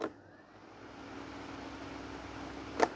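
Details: Charity-shop electric fan, oscillation off, run at top speed (speed 3 switch won't latch, likely broken clip): steady smooth motor hum with even whirring tone, no rattle or scrape; fan motor runs normally at high speed.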